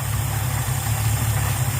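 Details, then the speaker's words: Ford Fairlane V8 with a newly installed Holley two-barrel 500 CFM carburetor (replacing a 350 CFM) and a manual choke, warm at about 800 rpm: low, even idle with no misses, stumbles or ticks; smooth and healthy. "That's a Holly two barrel 500 CFM. And listen just how smooth that thing is running."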